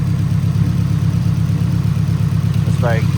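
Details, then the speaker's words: 1989 Nissan 240SX with newly installed 1050 cc injectors at 60% duty: rough idle stumbling about twice a second, unplugging one injector changes nothing; suspected bad injector, engine passed compression test. "So, I'm thinking this injector is bad."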